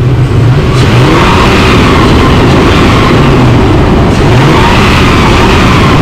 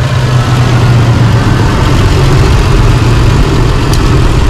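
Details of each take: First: Holden Rodeo (2005/2008) V6 that had a cylinder 6 misfire, after replacing dirty spark plugs: revs up and falls back smoothly several times, no stumble or shake; normal revving after repair. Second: 2005 Holden Rodeo 3.5L V6 idling with an uneven, lumpy throb; the misfire comes from one failed ignition coil, and all six spark plugs are to be replaced.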